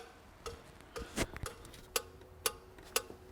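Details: 2002 Renault Master 2.2 dCi with no power, no fault codes and lots of black smoke: sharp, evenly spaced ticks about twice a second as the EGR valve steps through its cleaning cycle properly.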